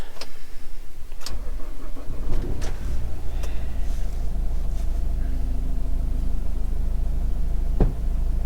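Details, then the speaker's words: 2008 Nissan Qashqai Tekna diesel, 95,000 miles, failed MOT: cranks briefly, catches and settles into a steady, even diesel clatter at idle with no knocks or misses. Healthy start. "Been running about a minute now, so Sounds alright. If you're going to buy one, get the 1.5 diesel. It is a decent little engine."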